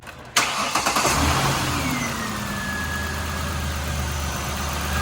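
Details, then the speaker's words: 2006-2010 Ford Explorer 4.0 started after an alternator and belt replacement: the starter cranks briefly, the engine catches and settles into a smooth, even idle with no knocks, squeals or misses; normal start and idle. "running nice and smooth"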